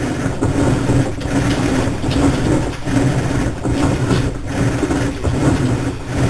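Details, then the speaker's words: Three-year-old Whirlpool Cabrio washer starting to spin: loud, steady rumble with a swelling low hum like a jet engine whine. It is abnormally loud; the cause is unclear. "start to spin. You get to hear the jet engine whine."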